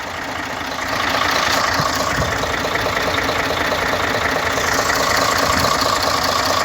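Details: Engine at idle with suspected excessive blowby, owner asking whether semi-overhaul is needed: loud rough idle with a dull, fairly regular knock around two per second under a heavy hissing rush; engine knocking.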